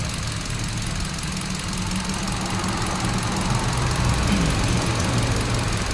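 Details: 2017 Hyundai Accent idling rough with an irregular stumble from a cylinder misfire; one ignition coil shows no firing, and the socket or the computer box is being checked.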